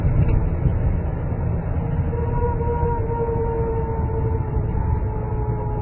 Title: Chrysler 300c Weird Whining Noise